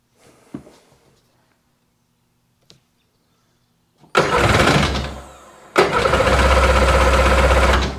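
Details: 2001 Sea-Doo GTX RFI 787 Rotax fuel-injected two-stroke, said to have had water in a cylinder: silence, then catches roughly, nearly dies and picks up into a ragged run; hard start.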